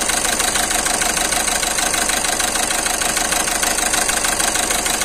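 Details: Volkswagen Vento 1.6 TDI diesel at idle with a rough rhythmic stumble in the clatter and heavy engine shaking; codes P0202/P0202 point to cylinder 2, where the injector receives current but isn't working, so the injector needs replacing.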